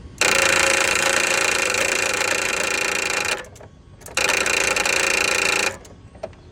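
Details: Toro TimeCutter mower with a bad starter: two bursts of harsh, rapid high-pitched whirring and grinding as the key is turned, engine never catches.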